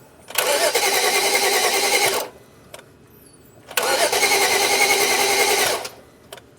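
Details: 2011 BMW 335i towed in with crank-no-start, after reconnecting two disconnected ignition coils: two cranking attempts of about two seconds each, steady starter churn of three to four beats a second, never catching; camshafts possibly not turning, unconfirmed.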